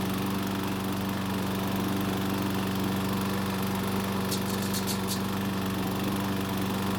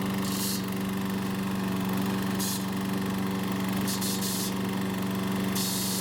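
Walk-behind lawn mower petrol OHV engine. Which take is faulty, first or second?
first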